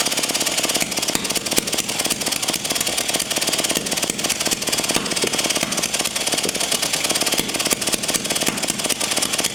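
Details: Early 1950s David Bradley walk-behind tractor engine, sat at least 20 years, previously stuck, good spark, cylinder hosed with spray lube; rapid easy cranking with little resistance, no firing; suspected compression leaking through valves, mostly the exhaust valve.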